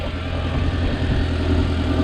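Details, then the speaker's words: Audi after repair, parts tightened after warming up; this earlier sound had also triggered the engine light: steady, even idle with smooth low drone, no puffing or ticking at the exhaust; the awful sound is gone, engine healthy. "sounds better now sounds better now that awful sound is gone it was it was bad"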